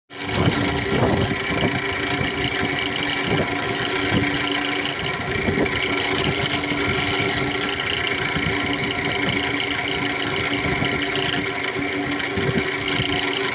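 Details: Steady idle with a constant mid-pitched whirring tone and light rattle over it from a 2008 Toyota Camry XLE; worn, failing alternator pulley.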